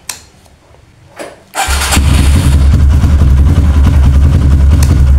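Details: Kawasaki KLX with a new battery that drops overnight and won't crank in the morning, battery fully charged, repeated starter test: brief click, starter spins briskly, engine catches into a strong, even rumble; 13 starts, battery judged normal for now.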